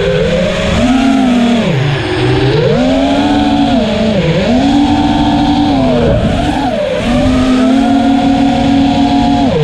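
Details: Armattan Rooster drone after a vibration fix: a clean, smooth motor whine rising and falling with throttle, with no strong vibrations or rough buzz above mid throttle.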